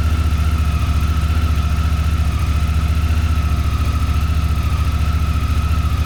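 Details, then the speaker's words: Honda Africa Twin idling after first startup following valve inspection and tune-up (oil, coolant, plug caps, air filters): smooth, even low thrum with steady beat, no ticking or knocking; clean, healthy idle. "So after a successful startup, here's how she's looking. I pretty much just got it ready to run, and I wanted to make sure it would run right before I went any farther."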